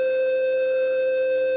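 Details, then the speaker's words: VDSL broadband interference heard on a receiver at 10.104 MHz via a four-element sloper array: a constant, pure mid-pitched tone, present from Top band to 30 MHz but much weaker on Top band. Believed radiated from cabinet/exchange equipment triggered by the modems. "these tones are are present from Top band up to 30 Megs they're much much weaker on top band"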